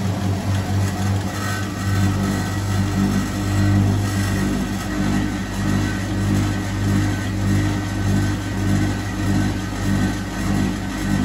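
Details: Hotpoint 1012 spin dryer (centrifuge) spinning wringing-wet laundry: steady motor hum with gentle slow rise and fall as load spins, no knocking or grinding; normal healthy running.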